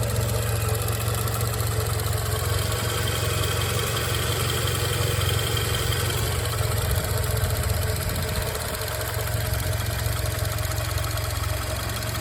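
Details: 2005 Toyota Camry XV30 at idle: dull, fairly regular knock near three a second, sounding like piston slap or rod knock, diagnosed as a failing water pump.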